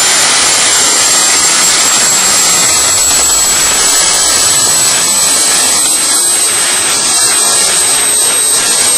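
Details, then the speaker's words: DIY gas jet turbine go-kart built around a turbocharger, diesel-fuelled afterburner, idle about 22000 rpm: steady even high-pitched roar, no throb or pulsing; normal healthy running. "it's all one continuous thing and that's why with a jet engine it's just you just get a continuous noise you don't get the throb like you do with a uh there another word throb like you do with a uh um internal combustion engine"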